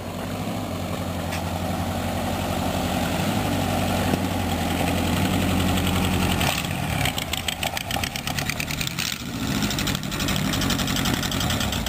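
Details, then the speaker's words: 1933 rat rod roadster on first drive, engine not yet tuned up, needs gas poured in carburetor to crank: lumpy, uneven, wavering idle and pull, not real smooth; rough running, owner expects a tune-up to help. "I'm happy with the motor. It's not real smooth, but it hadn't even been tuned up yet, so once I get it tuned up, it'll probably work better."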